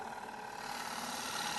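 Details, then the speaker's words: Long-grind bowl gouge cutting inside a bowl on a woodturning lathe, flute at about 2:30: continuous dry, rasping scrape as the bevel rubs the wood; an acceptable cut, but forcing the bevel would cause bounce. "And my flute's about 2:30. And if I carry on that cut, that's all right. Hear that bevel rubbing?"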